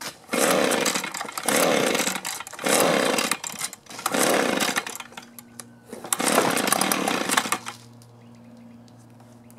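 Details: Echo two-stroke blower with an aftermarket carburetor, new plug and fuel filter and fresh fuel, started on full then half choke: repeated pull-cord rasps, a brief uneven catch, then a weak low hum; hard starting, cause not yet confirmed.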